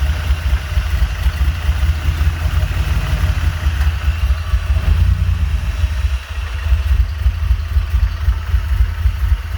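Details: Honda J35 with BC cams and 12:1 compression, swapped back to normal rockers, still working out the idle. Loud, lumpy idle with an uneven low chop and a slight dip midway: rough idle, cause unknown.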